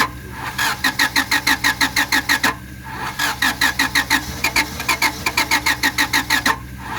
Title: '97 Honda Civic Crank No Start - Cranking